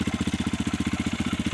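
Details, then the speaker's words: Yamaha YZ450FX dual sport single in neutral, just fitted with Rekluse Radius CX auto clutch, fresh oil and coolant, rebuilt water pump, exhaust hot: steady even thump about twelve pulses a second, no knocks or misses; healthy idle, sound possibly near stock. "But I don't think it doesn't sound too much different than stock, honestly. But I can't 100% tell."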